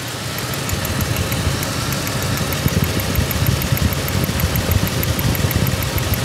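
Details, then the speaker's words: Ford F-150 waste-spark ignition with a misfire after coils were replaced, idling; mic held close near cylinder six: sharp irregular snapping crackles over a rough idle, secondary ignition arcing, a spark issue. "Wait, I hear something. I can hear it arcing. I'm going to get my mic close. Yeah, what I'm hearing is is a spark issue."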